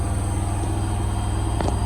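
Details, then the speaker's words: Washing machine on spin: a heavy, steady low drone with a faint tick that occurs on spin only. The drum shakes the machine hard enough to walk it forward; the cause is not yet found. "Guys, that ticking noise is back. And it's on spin only."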